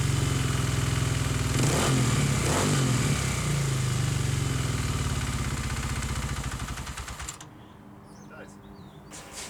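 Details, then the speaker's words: Custom single-cylinder dual-sport motorcycle with new carburetor idling roughly, loping and hunting about 200 rpm regardless of jetting, spark plug reading very rich; mechanical causes being investigated, electrical ones next. "basically been happening is that this bike it's been having a rough idle regardless of the jet regardless of whatever i'm using and my plug is showing a very rich reading it'll hunt it'll kind of like bounce between about 200 revolutions"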